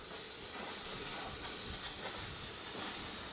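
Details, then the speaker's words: Model steam railway locomotive, built with ball races on the valve gear links, running years later: steady, even steam hiss with no knocking or clatter; slight wear on coupling and connecting rod bushes, runs sweetly. "there is some word on the coupling rod and connecting rod bushes but not a lot as you can hear the engine runs very sweetly"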